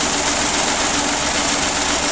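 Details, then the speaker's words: Geo Metro small three-cylinder engine after drivetrain restoration, running about a minute after first start: smooth even idle with light quick ticking, no knocks or misses, quiet; normal idle. "looks like she's gonna be a good runner yeah it runs real nice nice and sweet quiet I'm happy with this"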